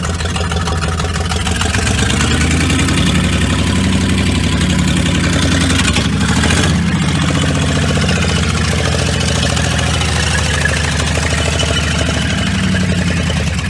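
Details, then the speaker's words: Car with no brakes: a heavy steady low rumble with an uneven knocking undertone and a faint squeal. Suspected main bearing failure or a seized main, not confirmed. "Yeah, that little squeal. It's not like shit rubbing against each other. That sounds like bearings."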